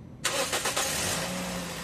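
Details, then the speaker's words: Toyota Vios after throttle body cleaning for engine noise when hot: quick crank, clean catch, idle rising then slowly settling, steady smooth with no misses or knocks; normal start. "Ayan na mga boss, na-start na itong makina at kung makikita nyo itong minor, umangat na siyang bigla tapos dahan-dahan na siyang bumababa."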